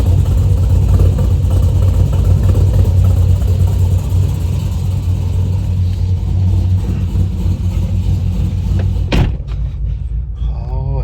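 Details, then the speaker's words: 2010 Chevrolet Camaro SS with long-tube headers after fixing a header leak, driving under load: deep, even exhaust drone with no ticking; exhaust sealed and healthy. "but no more ticking up here pretty happy with that now I'm going to go drive it see what it sounds like inside"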